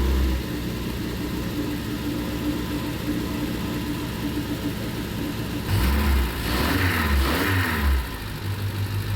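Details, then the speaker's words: Triumph Spitfire with rebuilt engine on its first start, full compression, choke out, timing probably not quite perfect, no cooling system: a steady idle rising smoothly on throttle blips and settling back without misses; revs cleanly. "revs up nicely. Sounds really quiet. I mean, it's loud in here."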